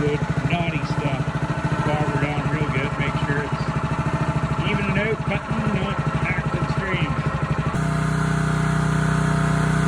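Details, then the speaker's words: Honda GX160 on a SplitFire wood splitter after carb cleaning and oil change for bogging and stalling when splitting, test-splitting hardwood: small single runs steady and even, no bogging or surging as load comes on; sounds pretty happy. "Say she's pretty happy."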